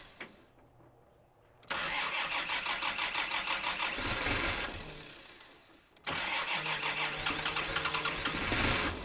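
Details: Kubota M5700 tractor, 5-cylinder diesel of almost 60 hp, retested after a stalling fix: fuel lift pump and filter replaced, tank obstruction cleared. It cranks briefly, catches cleanly, and revs and settles to an even, steady beat. Sounds healthy.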